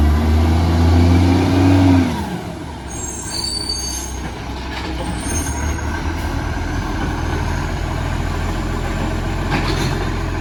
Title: Brisbane Garbage BSW775 - Exhaust Leak